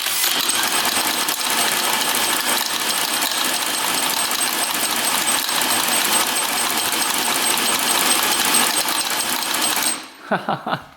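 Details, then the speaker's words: 1940s James ML 125 motorcycle, unrun auction find, engine turned by hand with plug lead checked in the dark: sharp uneven snapping crackle about ten seconds; magneto coils still good, strong spark. "Good spark. Wow. This is from 1940s and that thing has spark. So those coils are still okay."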